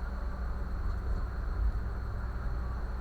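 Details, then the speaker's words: Brastemp microwave running normally with a cup of water inside, a steady low hum and smooth even whir with no buzzing. Its noise on startup was traced to a suspected internal fault or short in the magnetron, and the problem is now resolved. "e aqui ó eu abrir novamente né acabou o barulho funcionam normalmente tá"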